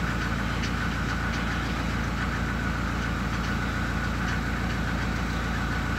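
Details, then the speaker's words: SsangYong Musso after replacing the engine temperature sensor for lost cold idle: cold engine starts, revs rise, then settles to a steady, even idle without stalling; normal cold idle. "на холодную даже не глохнет"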